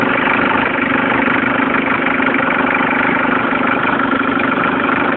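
Steady idle carrying a faint, uneven ticking about three times a second; something's off in the engine, cause not clear.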